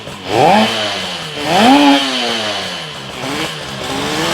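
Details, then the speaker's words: 1972 Yamaha LS2 100cc two-stroke twin, 784 miles, first run after carb clean on auxiliary fuel tank, no air box: crisp buzz climbs and falls cleanly through two quick blips, then settles to an even idle; sounds really good, normal revving. "That sounds pretty good. This guy sounds really good. Sounds really good."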